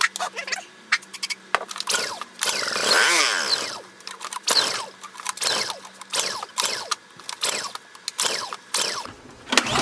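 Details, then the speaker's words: Honda EU2000i generator after starting spray to draw fuel into the carburetor bowl: fires in short bursts and revs briefly, then dies between pulls. A fuel pump issue is suspected. "all right I think we've got a fuel pump issue so let's um let's take a look at this fuel pump"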